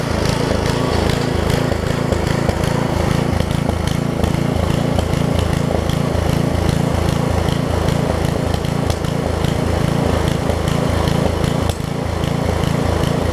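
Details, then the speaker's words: Craftsman 17-inch rear-tine tiller with 5hp horizontal Briggs engine, probably 1990s, tilling under light load after a new carb diaphragm; steady, even putter, slightly rough but holding speed. It runs properly; a tiny diaphragm fuel leak remains. "all right so it runs it tills"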